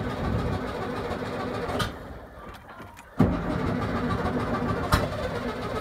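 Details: 1971 VW Beetle project, first start in 8 years with fuel poured in: uneven air-cooled engine chatter dips near stalling, then catches and settles to a steady normal run.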